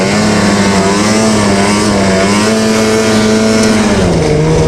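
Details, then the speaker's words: Two-stroke snowmobile after cleaning dirty power valves that caused high-rpm bogging: clean steady high-pitched scream at full throttle with no hesitation, stumble or bog; running normally. "That's what my problem was. Just dirty valves, because at high RPMs, it's got no hesitation."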